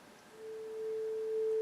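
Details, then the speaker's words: Yamaha CR-820 stereo receiver on the bench before a full restore and recap, auxiliary input: a steady, pure mid-pitched test tone at constant pitch through both channels, with faint background hiss; it sounds healthy. "I don't hear any problems with the [Music] tone so it looks pretty much all functioning"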